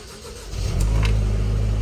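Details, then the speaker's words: MWB LPG Sprinter camper conversion, head gasket skimmed and resealed about two years ago, cold start with low temperature shown, window open: starter churns briefly, engine catches within a second and settles to a steady, even low diesel idle; healthy cold start. "see the temperature is low and we'll keep it there for a bit just so you can see it starting up cold thank you"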